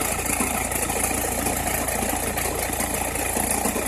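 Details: Opel Meriva, cold engine at idle: irregular light crackle about two a second over low uneven idle; occurs only when cold or at very low revs; cause unclear.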